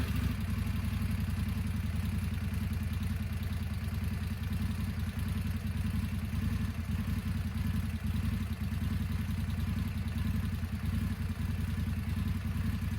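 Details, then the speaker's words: 2025 Indian Scout 101 motorcycle at idle with the clutch fully in: a low, uneven idle loping with a loose, irregular beat that wants to bog out. It has stalled twice this way; the dealer has reportedly heard of the problem, and a service visit is pending. "one big thing is she has stalled on me twice clutch all the way in because when she idles she almost wants to bog out and kill herself let you take a listen"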